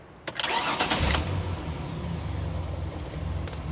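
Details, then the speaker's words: 2001 Ford Explorer after cycling power to the fuel pump: brief cranking catches and settles into a steady idle; engine starts and runs, pump works but gets inconsistent power, pump suspected tired. "runs now. Pump works. It's just not getting consistent power."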